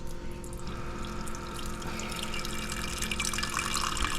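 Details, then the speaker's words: SimPure Y7P-BW reverse osmosis purifier on its third flush cycle (manual says three to five), emptying the internal tank after refilling; steady rushing and trickling water building gradually with no pump strain or sputter; normal flush cycle water flow. "and it's going to empty that internal tank for um this will be the third time for me that I've done this so the manual says to do this three to five times and then you're ready to go"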